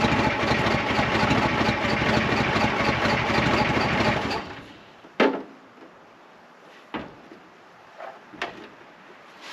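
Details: 1975 International Loadstar 1850 Detroit two-stroke diesel at first start after a blower fix, idle setting unknown. It clatters rough for about four seconds, then dies, leaving scattered clanks. It won't keep running, and the owner plans to check whether the fuel filters hold any fuel.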